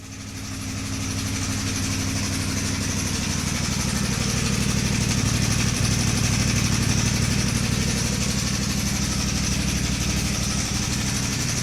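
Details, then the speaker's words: CFMoto 450 MT at 4,767 km, engine suddenly very harsh, camera near the exhaust: steady idle with loud regular metallic clatter about three a second, louder than the exhaust; stuck cam chain tensioner piston letting the chain slap. "Setelah menempuh jarak 4.767 km, tiba-tiba suara mesin e motor saya menjadi sangat kasar. Bahkan ketika saya rekam kamera saya dekatkan e ke knalpot, suara mesinnya mengalahkan suara knalpot."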